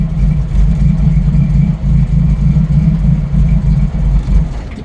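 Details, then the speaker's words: 1990 Jeep YJ 4.2L 5-speed with carburetor problems, warm: low uneven lumpy idle sagging below 1000 rpm, barely running then stalling; rough idle near stalling, owner thinks carburetor needs work. "I'm kind of having to keep my foot on it just a little bit to keep it running cuz as soon as it starts to drop below a th000 it wants to sputter and die"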